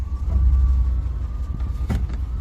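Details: 1993 Chevrolet C1500 with rough idle, stalling and code 54, after new spark plugs fitted and contaminated fuel filter found: low steady idle rumble with a few small bumps, no clear miss; running normally.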